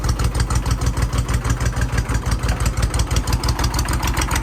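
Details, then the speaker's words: Mid-1980s Kubota B7200 3-cylinder diesel tractor just started at about 15 degrees, no fuel additive, after glow plugs: harsh rattly idle with hard regular knocks about three per second; cold diesel clatter expected to ease when warm. "Old diesels are pretty noisy whenever they first start up in cold weather, like the clatter."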